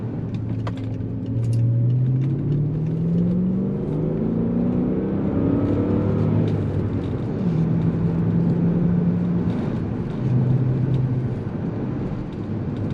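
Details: 2005 BMW 545i V8 with a cheap aftermarket muffler replacing the factory flapped muffler: deep burble climbing and falling through several throttle blips, smooth with no rattles or drone; normal exhaust note.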